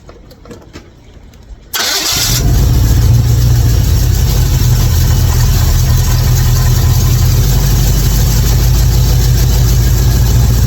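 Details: 55 Chevy hot rod V8 after spark plug change (old plugs bad, fouled from sitting): short crank, catches promptly and settles into steady even idle with no stumble or miss.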